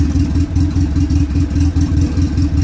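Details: D15 Honda Civic on a Speeduino standalone ECU with a modified generic basemap, just started with a little throttle and expected to run rich: a steady low thrum with an even, slightly lumpy pulse and no knocks or ticks. Normal idle.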